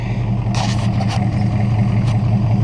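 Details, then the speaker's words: 1968 Buick Skylark Custom V8, running again after about 40 years abandoned. With the PCV disconnected it has a smooth, steady idle, an even burble with no misses, and the earlier knock has gone. It then died on its own. "listen to that thing idle now he's just running sweet"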